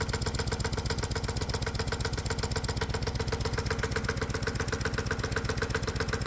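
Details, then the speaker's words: Single-cylinder hot-bulb semi-diesel lawnmower engine warming up on gasoline with the spark plug connected, carburetor mixture leaned out: steady, even thumping at about two beats a second with no misses or stumbles; running smoothly. "And it turns out the engine actually wants less fuel, so I'm leaning out the mixture. Ah, yes, that sounds pretty good."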